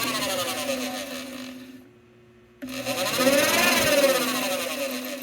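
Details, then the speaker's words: 2013 Cadillac ATS that overheated with code P0480: electric cooling fan spins up with a rough, scratchy whirring and steady pulsing instead of a smooth hum; fan felt stiff, fan motor failing and needs replacing. "i don't know about you guys but that doesn't sound right to me all right um this guy's gonna need a fan"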